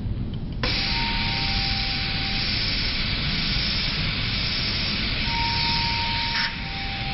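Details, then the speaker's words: Bird Mark 7 IPPB ventilator with one line disconnected to simulate a circuit leak: a steady, unbroken hiss of gas flow never cycles off, pressure never rises and the breath never ends. "notice the pressure never Rose and it never stopped trying to give a breath"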